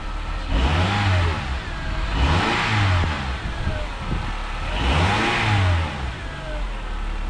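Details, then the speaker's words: 2006 Honda Accord after no-start fixed with new spark plugs: engine revs up and back in smooth, clean blips with no miss or stumble; big white smoke cloud at start, suspected excess fuel in cylinders. "All right, got it running. New spark plugs worked, and when I did start it, there was actually a big cloud of white smoke that was coming out the tailpipe."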